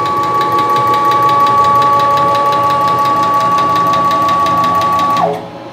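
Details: Precision Matthews PM-727M mill CNC conversion: steady stepper whine with regular light clicking about three per second as the axis travels, louder in one direction and also creeping into the Y axis; dry coupling spider moving and rubbing, not bearings or ball nuts.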